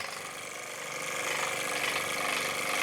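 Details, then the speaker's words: Dump-found airless high-pressure sprayer after motor start capacitor repair, first test drawing water: motor starts and settles into steady hum, quick even pump beat and growing hiss as pressure builds; normal pump operation. "the hose is building up some serious pressure by the looks of things we got pressure"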